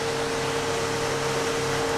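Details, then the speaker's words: Pool filter pump that won't start on power runs with a steady hum and clear whine, no spin-up of its own, only after a hand start, confirming its 20 µF start capacitor is defective and needs replacing: failed start capacitor. "donc c'est bien notre condensateurs qui est défectueux puisque le condensateur lui sert à lancer la pompe au démarrage"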